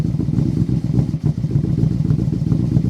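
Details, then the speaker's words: 2008 Yamaha Royal Star Venture 1300 liquid-cooled V4 in neutral: lumpy, uneven idle with stumbles, a smell of gas and occasional black smoke. It idles rough from a rich mixture; tuning or carburetor trouble is suspected. "a little rough idle there but you leave this thing idling you can smell the gas you can almost see a little black smoke coming out sometimes"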